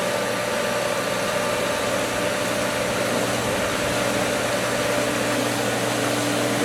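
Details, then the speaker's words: Old pool pump at spring opening, after losing prime to air from winterized lines when skimmers opened: loud steady rushing churn over motor hum as it pulls water again. "churning it out, but it's gonna, there it is."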